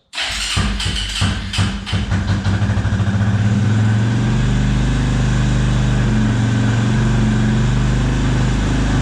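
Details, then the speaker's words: 2004 Suzuki LTZ250 single-cylinder, reportedly new top end: fires up with ragged catches then steady even idle thump, sounds healthy though smoking a lot, not smelling of oil, possibly running rich. "But it did fire up and it sounds good. Definitely sounds good."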